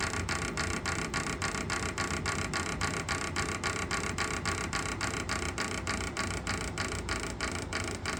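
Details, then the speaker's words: Pulse motor rotor on bearings with magnets under the rotor, disc between magnet nodes: loud sharp regular clicking about three and a half times a second over a whirring rattle, rotor slowing under load, possibly friction or rubbing. "see now here's the load I was talking about oh it sounds like it's the load you hear that should not be slowing down that"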